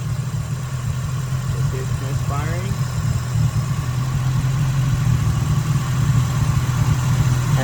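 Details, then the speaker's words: 1989 Nissan 240SX KA24E idling after lowering the idle screw, which was all the way out: low idle stumbles and lopes unevenly with dropping beats; cause suspected, not confirmed: misfire. "So, the idle screw was all the way out. I lowered it, but now it's like misfiring."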